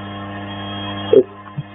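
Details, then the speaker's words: 3020 CNC router spindle under electric power, speed increased: a steady electric hum with a developing rough vibration underneath, caused by a visibly bent secondary output shaft. "i'm going to increase the speed and i don't know if you can hear that but that is developing a perceptible vibration"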